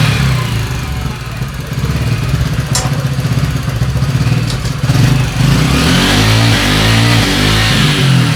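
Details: Italjet Griffon GF125 scooter after carburetor cleaning, following 10 months unused that clogged the carb with fuel residue and stopped it starting: steady even putter at idle, briefly picking up, running clean and healthy.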